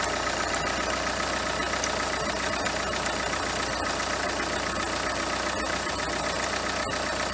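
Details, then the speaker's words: Renault Kangoo 2 1.5 dCi diesel at idle: light metallic ticking rattle about two or three per second with cricket-like chirps from the alternator; belt removed shows the overrunning clutch pulley has large play and no longer freewheels properly; alternator overrunning pulley rattle. "Зняв ремішок. Слухаємо. Сюди генератор у нас крутиться нормально. І от. Вона то повинна працювати, типу, в одну сторону крутитись муфта, ось, заціплятись, а в другу сторону, типу, от, проскальзувати, але вона вже ось так от. Ось сюди в неї дуже великий люфт."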